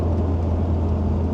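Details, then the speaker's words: 1955 Ford Crown Victoria with remanufactured 302 V8, Holley Sniper EFI, C4 automatic and small-diameter exhaust, while driving: low, smooth, muffled drone with no big-cam lope, ticks or knocks; healthy, quiet-running engine. "Muffled down, pretty quiet. Don't hear a big cam or anything like that."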